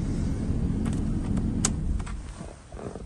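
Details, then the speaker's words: 2007 Proton Satria Neo 1.6 petrol, 88,960 miles, at idle after a start with a squeak, engine and traction control lights on: smooth, even idle with no misses or knocks, some handling clicks and rattles; engine sounds healthy. "doesn't seem to affect the way it sounds nice doesn't seem to affect the way it runs or anything but just bear that in mind"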